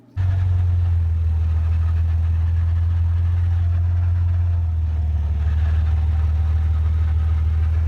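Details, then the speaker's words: Whine from a worn pinion bearing in the open Dana 35 rear axle of a lifted 1999 Jeep Grand Cherokee on 31s: heavy, steady low droning whirl while driving. The axle was later rebuilt with every bearing replaced. "I just wanted to show the carnage that the pinion bearing went through. Now this made a real nice noise."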